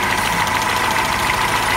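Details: Tofaş idling with the clutch pedal held down: steady, rough whirring hiss; the clutch pressure plate's diaphragm fingers were found worn, a noise that can also come from the release bearing.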